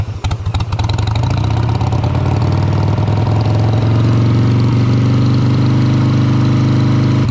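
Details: 2001 Harley-Davidson Sportster 883 Evo with CV carburetor, idle stop screw just reset during tuning for hesitation and stumbles: steady, even low V-twin idle that holds without stumbling, slightly rich; healthy normal idle, mixture then leaned a little.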